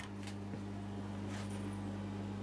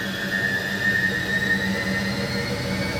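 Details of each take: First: Hoover A3308 washing machine: steady low hum starts the moment it is switched on with no cycle running, drain pump running constantly; programme board works, further fault suspected. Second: Bendix compact 7159 washing machine on spin-only program: smooth whir climbing slowly in pitch as the drum winds up, with faint hum from the drain pump that stays permanently on; spin works normally.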